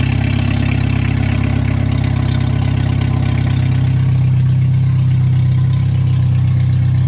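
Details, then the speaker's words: Lotus Elise at idle with a cover removed: heavy deep idle with rough rapid pulsing throb underneath, about four beats a second, heard from the bottom; owner suspects a split or blown gasket, unconfirmed. "so so i think i thought the noise was from up here but we took off the cover and i hear it all on the bottom now so"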